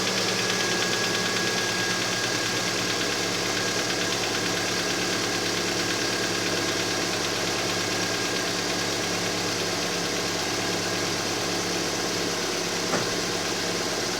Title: Стук двигателя на холодную